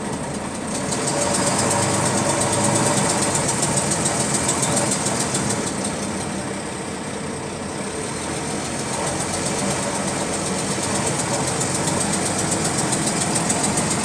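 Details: GAL WVL358 bus on route 486: steady light ticking, roughly three per second, over the diesel idle, keeping pace with engine speed; clicking in sync with engine speed, source unknown.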